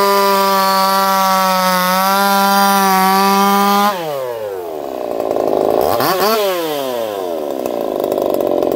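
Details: Echo CS-4910 chainsaw with experimental taper-top piston/crank swap, about 6 degrees timing advance, test cuts: crisp high-revving scream drops smoothly into the cut and climbs back, no popping or stumble; runs a little warm, about 180 psi cold, 170 warm; normal cutting under load.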